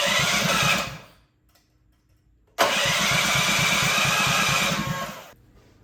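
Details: Honda GX200 clone single-cylinder engine clamped to a table stand, choke on, first start after build; catches, runs briefly and dies, restarts and fades again, lean; needs rejetting.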